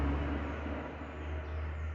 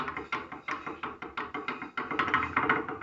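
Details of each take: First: 2006 VW Polo after brake pad repair for caliper knocking over bumps (pads filled on one side to remove play): only low even vehicle rumble, no metallic rattle; normal brake caliper, no rattle. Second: 2006 VW Polo brake caliper knocking over road bumps: hard clacks nearly three times a second as the pad knocks in its worn seat on the cast-iron steering knuckle, to be fixed by welding; brake pad rattle.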